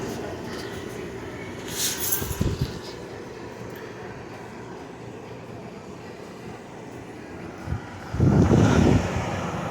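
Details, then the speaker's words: Dehumidifier (Vremi or Hense) at startup, camera placed by compressor: steady low hum, then firm low thump as compressor kicks in and keeps running, warm air, freon audibly circulating; normal compressor start and run. "Air is nice and warm. You can hear that freon going through the system."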